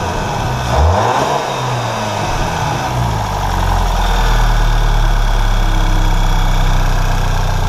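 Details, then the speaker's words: VW GTI turbo petrol engine with aftermarket stage 2 downpipe, after the failed downpipe gasket was replaced with a factory gasket. Idles and revs with a smooth, deep exhaust note and no ticking or puffing. No exhaust leak. "back to a factory gasket and as you can tell from that short little sound clip right there we are no longer leakin"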